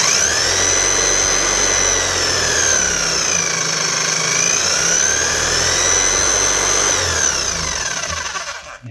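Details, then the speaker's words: Bosch GSH 5 CE hammer (2020 machine) after fitting a new set of brushes: smooth, steady high motor whine rising and falling cleanly with the speed control, no rattle or grind; slight sparking expected with new brushes. "speed control is working grand. She's a little bit of a spark out of it."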